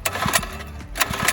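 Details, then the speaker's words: Mini bike single-cylinder engine after a nitrous backfire: rough running with loose, uneven knocks; rod knock or something loose suspected, not confirmed, before teardown. "Dude, it sounds like something loose in there. Yeah, oh yeah, you hear that? All right, so there's a rod knock or something."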